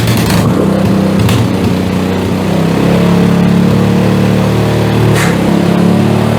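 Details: PowerSmart DB7006 snowblower, fairly new, engine warm and unchoked after idle screw tuning: steady even drone with consistent beat, no stumbles or surging; running healthy.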